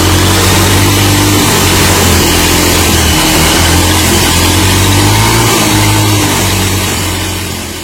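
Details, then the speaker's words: Yamaha Mio M3 automatic scooter with a steady droning whine when accelerating, worse when releasing the throttle; worn, chipped final drive gears. "jadi ini muncul suara ngiung ya saat kita tarik gas kemudian tambah parah ketika kita lepas gasnya teman-teman"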